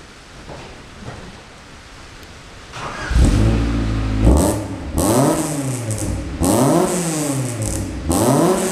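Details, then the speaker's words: Beater just fitted with a new exhaust after the old exhaust and manifold were blowing badly: starts and revs up and down with a smooth, even hum and no puffing or blowing; exhaust sealed, normal note. "you're cruising um it's quite a nice hum it's not really a droning noise quite lucky so all along with it's nice and quiet"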